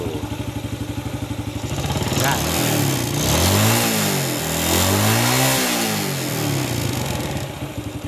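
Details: Yamaha Vega ZR motorcycle engine after replacing the loose piston (size 50) with a 75 oversize piston to cure clatter: even idle with smooth throttle blips, no piston slap or rattle; normal idle.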